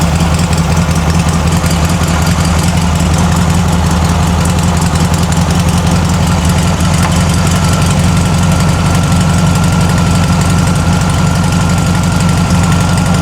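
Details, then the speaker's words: Circa-1960 VW flat-four in a Ford Model T kit car after its bad carburetor was replaced and the fuel temporarily adjusted. It gives a cold idle on choke while warming up: a steady, even low rumble with no knocks or misses, running normally. "It's still on a choke. You don't want to go. You want to warm up obviously."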